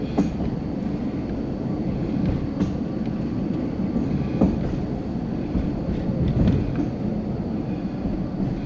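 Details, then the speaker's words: High-rail vehicle under 10 mph on a 4-degree curve with 5-inch superelevation near MP 109, before tie restoration, recorded from the dashboard: a heavy low rumble broken by irregular banging thumps and jolts. Rough track from poor ties. "the audio will pick up the noise and that's good that they can hear the banging i think why it had to be restored"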